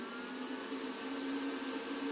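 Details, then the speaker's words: Renogy 1000 W pure sine inverter charger RNG-INVT-1000-12-C charging a camper battery, knob turned from 75% toward 100%, current rising from about 13 A to 23 A: airy fan whir with faint hum firms up; normal cooling fan speed-up. "So right now that's 75%, and if I twist it to the left here closer to 100, the amperage will go up and you can hear the fan increase."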